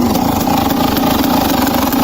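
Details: 2007 KTM EXC 300 two-stroke running at a fast, ragged beat with uneven pops and stumbles; it is misfiring and not running correctly, cause not stated.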